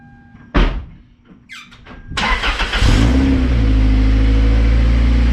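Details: Toyota MR2 Spyder start just after PPE aftermarket exhaust install, car back on ground: quick crank into deep steady throaty burble, no leaks or rattles — aftermarket exhaust note.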